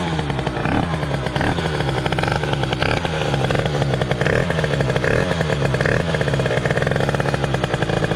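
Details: First start of a 2005 Derbi DRD Limited with Euro 3 GPR engine, 70cc 2Fast kit, 28 carb and KRM exhaust, not yet tuned: rough, uneven two-stroke buzz with a wandering pitch that never settles. Carburetion not yet set up.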